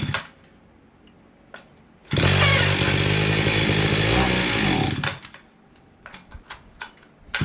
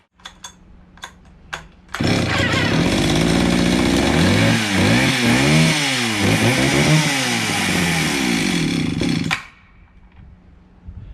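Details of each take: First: Circa 1974-76 Stihl 031 AV chainsaw unused about 5 years, before carb cleaning, choke being varied; snarls about three seconds then revs sag and it dies despite fuel in tank; fuel starvation from clogged carburetor screen. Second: Circa 1974-76 Stihl 031 AV chainsaw, unused about 5 years, after carburetor cleaning, air cleaner refitted, recoil needing work; few cord pulls then catches, runs strong and crisp, revving cleanly before shut-off; healthy two-stroke.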